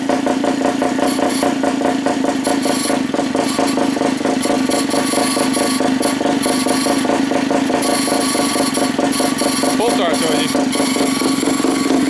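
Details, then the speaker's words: Pull-start gas rat bike engine: small engine buzzing at a steady, even pace with no knocks or misses; the pull start makes a noise needing attention, but the engine runs clean. "you there we go pull starts noise you got to go deal with that but other than that sounds good don't it I think she'll be just fine"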